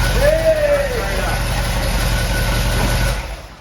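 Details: 1970 Chevelle SS 454 big-block Chevy with solid lifters and Comp Cam, during engine break-in, restarted with about a gallon of fuel left after a squirt of fuel; loud, even idle with a deep steady rumble and no knocks or misses before fading; normal idle.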